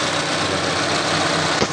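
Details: 2004 Honda Civic after head opened, leaking valves fixed and injectors refitted: steady, even idle with no stumble or skipped beats where it previously misfired three or four times; engine now runs smoothly.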